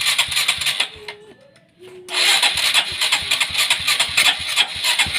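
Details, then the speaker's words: Honda Supra X 125 carbureted motorcycle, hard to start and sputters on throttle: repeated cranking, engine catching then faltering into a rough, uneven run; ignition and fuel line checked normal, carburetor main jet found detached. "Oke, tetap saja tidak akan berhasil, teman-teman. Ini sulit."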